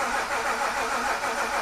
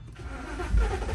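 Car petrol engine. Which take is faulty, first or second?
first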